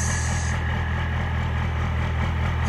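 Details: Roadkill ramp truck Cummins 12-valve diesel after head, injector and HX35 turbo upgrades, idling just after first start before warm-up: deep, steady idle with even low rumble, no knocks or misses; running clean and healthy.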